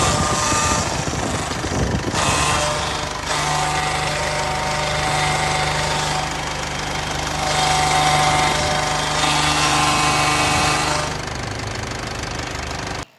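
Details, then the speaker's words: VW 8-160 3/4 truck at diesel idle after power steering pump and full fluid replacement; constant low hum with a faint whine from the power steering hydraulics. Noise persists and the source is not identified. "Trocou bomba de direção, trocou todo o óleo do sistema e olha o barulho que esse caminhão 3/4 tá fazendo."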